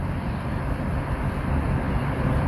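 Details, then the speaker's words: Land Rover LR3 (Discovery 3) fitted with strut spacers and 37" tires: the air suspension compressor runs a steady, even low drone with no knock, refilling a fully empty system during a GAP tool test-valve routine. Normal compressor run. "Oh, I hear the compressor. But it certainly isn't doing anything yet, is The it? compressor temp's going up, so my guess is it's doing stuff."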